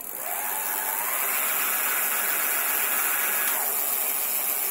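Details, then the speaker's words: Currie Electro Drive brushless e-bike hub motor on a pre-2016 bike, rebuilt after 3 of 4 rotor magnets detached, now run on a proportional thumb throttle: smooth whine climbing in pitch then holding steady, no grinding or clicking; successful repair. "there we go so yeah it looks like successful yeah successful repair and we'll put on the proper load and hopefully the magnets won't decide to disappear again into the ether"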